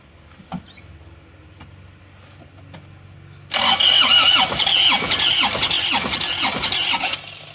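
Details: Car towed in from the toll road: starter spins the engine in a quick, even rhythm of about four beats a second for several seconds without catching; crank no-start, mechanic suspects compression loss from scoring, not confirmed.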